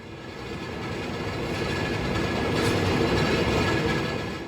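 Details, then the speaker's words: Big Ass Fans large industrial/commercial ceiling fan: continuous rough grinding scrape with uneven rhythm that swells and fades, most often caused by a bad motor bearing; grinding noise. "which is most often caused by bad motor bearing"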